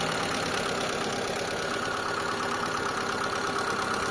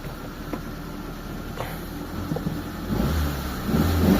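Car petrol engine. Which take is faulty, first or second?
second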